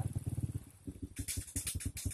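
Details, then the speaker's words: Honda Supra underbone motorcycle at idle: low exhaust putts in uneven bursts with gaps, stumbling instead of ticking over; the carburetor air screw is set wrong, giving an uneven idle. "Suara knalpotnya itu agak merembet dan tidak normal. Itu tandanya posisi settingan setelan angin karburator tidak benar."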